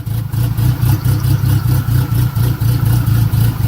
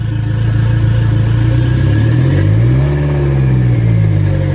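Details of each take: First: Turbo Mitsubishi 4G63, exhaust cam gear advanced 3 degrees, first start: loping idle swelling and dipping about four times a second, choppy cammy lope from the advanced exhaust cam timing. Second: Turbo Mitsubishi 4G63, cam gear timing reset 3 degrees: steady low idle with a brief dip and recovery, otherwise even; much smoother than before, throttle hesitation reduced; normal idle.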